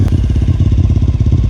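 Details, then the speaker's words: Neglected Suzuki TL1000R V-twin after service and clutch slave cylinder repair, first ride in first gear: uneven, lumpy beat with dropped pulses; misfire, owner suspects clogged injectors, not confirmed. "Oh, did you hear that? There's a misfire. I don't think it's supposed to sound like that."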